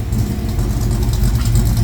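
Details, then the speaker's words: 1972 Mustang Mach 1 restoration V8 ($1,000 engine): deep steady idle with even low burble, no tapping or misses; lots of oil pressure, quiet, power steering pump audible; normal idle. "That thing runs good, man. I for $1,000 motor, I couldn't be any happier. Lots of oil pressure, quiet."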